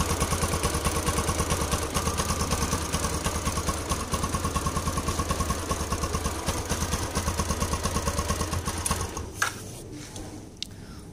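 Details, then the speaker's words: Yamaha LC135 motorcycle after replacing a slack timing chain, coolant and oil refilled: steady, even idle with a regular beat and the earlier rough chain rattle gone; normal, healthy idle. "Guys Ah nih kondisi jin dan kamu sudah dengar tadi suara gini aja mana selepas kita tukar Tencent bunyi kasar ta itu sudah hilang penyebab rantai sudah kendur"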